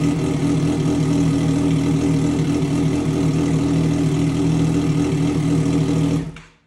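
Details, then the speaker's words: Triumph Daytona 675 rebuild after a wreck, first start in 3 months, mid pipe fitted but muffler left off (straight pipe): loud raw rasp, steady even run with no misses, then a clean shutoff; sounds healthy. "I want to start it without the muffler. It's just tradition. When you do exhaust, when you take an exhaust off, you gotta start it straight piped, right?"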